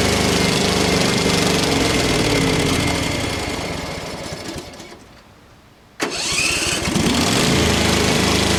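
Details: Craftsman FS 5500 lawn tractor before its carburetor was cleaned: the small engine runs unevenly, sags and dies, then catches again and hunts roughly; the owner says there was dirt in the carburetor.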